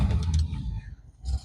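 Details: Normal start on a 1959 Studebaker Silver Hawk with 3-speed automatic: engine catches almost straight away, first hit, settling into a deep, even, low rumble with no stumbling; a clean, healthy start.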